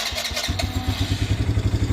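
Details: 2024 Polaris Phoenix 200 after a loose spark plug wire was pushed back in, already warmed a little: a few quick cranks, then it catches and settles into a steady, even low putter; starts readily, runs smoothly.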